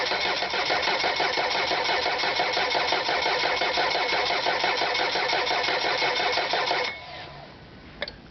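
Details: Mercury 90 hp four-stroke EFI outboard: about seven seconds of steady starter cranking, roughly three turns a second, never catching; hard starting, extended cranking.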